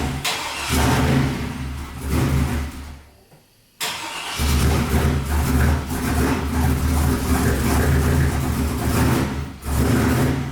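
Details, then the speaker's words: Turbo LS street truck on a new tune: stumbles, nearly dies, then surging, lumpy idle, misfiring and running rough, worse than the day before; owner suspects sketchy plug wires. "This thing is running worse than it did yesterday. So the plug wires are a little sketchy."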